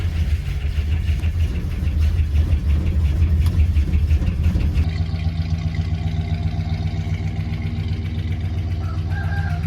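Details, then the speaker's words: Old crew cab truck's V8, first start since spring: uneven idle just after cold start with light quick ticking on top; bad lifter tick that goes away somewhat over time as it runs. "She has a bad lifter tick. It goes away eventually. It'll go away a little bit over time with this old girl."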